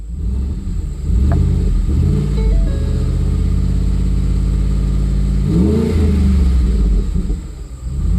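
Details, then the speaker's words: 2010 Ford F-150 4.6 V8 just back in the truck with new gaskets and seals, oil pressure confirmed; clean throttle blips return to an even idle without knocks or ticks, so it sounds healthy. "sounds pretty good so all that hard work paid off"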